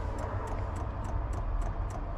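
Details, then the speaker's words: Eberspacher/Airtronic M3 D4L diesel heater in a Hewescraft 210 Sea Runner boat, starting up: quick even clicks about three a second over a low fan hum as the fuel pump primes before lighting. "I hear it clicking the Fan's barely gone you think you hear the pump clicking"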